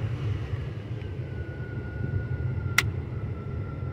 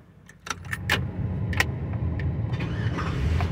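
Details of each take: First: 2005 Chevy Avalanche 1500, 5.3 L, after a no-start/no-crank was rigged with a switch; runs fine once fuel pressure builds. Low steady rumble, one faint click, no stumble or misfire; normal running. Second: 2005 Chevy Avalanche 1500, 5.3 L, rigged with a switch after a no-crank fault; flooded by cranking before fuel pressure built. A few light clicks, then it fires and settles into a steady low idle; flooded engine catching.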